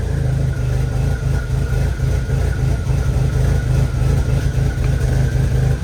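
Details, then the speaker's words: Rebuilt VW 1.8T after first start, misfire with cam position sensor code, codes being cleared: heavy lumpy low rumble with uneven pulse and stumbles at idle. "okay so we have a little misfire issue with this thing um and I'm clearing the codes right now"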